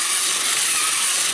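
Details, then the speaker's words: 50-year-old Mr Mercury tin battery-operated toy robot, walking motor after lubrication with WD40: thin, steady whir with a fine ratcheting gear-train tick, running freely without labouring; the walking motor now works fine. "I fixed the walking motor first and it turns out there wasn't much wrong with that basically all I needed was some lubrication and I went with the old WD40"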